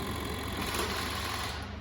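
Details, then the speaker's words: Scooter on electric start: short, busy whirring from the starter spinning the engine with no firing or catch; cranks but will not start. "Okay सी मेरी scooty start नहीं हो रही है,"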